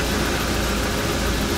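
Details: 1995 RV engine: steady, even idle with a smooth low rumble and no misses or knocks; running normally.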